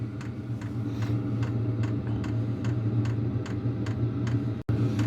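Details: Wippro 8kW diesel heater running normally in a shop bus, turned up from level two to three of ten: crisp fuel pump ticks, about 2.5 per second, speed up over an even burner fan hum, and a slight vibration seems to fade.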